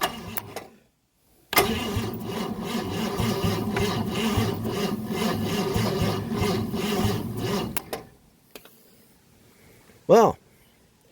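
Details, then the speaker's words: 1965 Ford Thunderbird under rebuild, first fire-up attempt with jumper cable to the starter solenoid: about six seconds of slow, labored cranking, no firing, not spinning as it should. The issue was found at the neutral safety switch. "that is not spinning as aggressively as it should."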